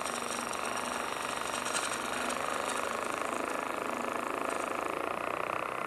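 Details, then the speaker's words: Lathe gouge turning Pro Marine Table Top Epoxy green resin with acorn caps: rough raspy cutting noise with chatter, meaning chip-out. "you can hear the chatter that means I was getting a little bit of chip out"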